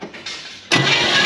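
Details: 1957 Chevy Bel Air, likely 283 small block with points ignition, garage kept since 1976: starter spins the engine over steadily with an even churn during a compression test, reading about 125.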